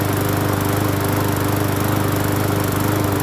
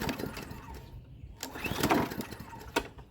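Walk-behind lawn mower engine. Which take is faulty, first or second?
second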